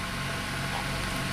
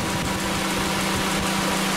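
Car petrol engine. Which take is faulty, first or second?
first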